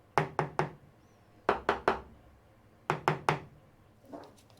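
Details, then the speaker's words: Knuckle tap test on the fiberglass doghouse roof of an Albin 30 boat (wood-core laminate): three sets of three sharp taps, listening for the difference between hollow and solid sound to locate delaminations where the ply has separated. "what you can do is he's tapping like this and then you hear the difference here if you can hear it"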